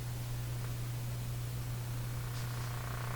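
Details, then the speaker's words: Canadian General Electric A55Z tube radio, with the original tube reinstalled and powered on through a dim bulb, volume down, warming up. Steady deep low hum with a slow throbbing pulse like an idling engine; mains hum before the radio returns to working. "There's the hum. Sounds like a engine running."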